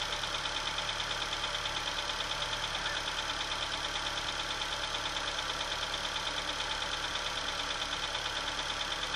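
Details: Opel/Chevrolet Astra engine at cold idle just after start, with a sharp, very even ticking about three per second above the engine hum; abnormal cold-start noise, source unclear.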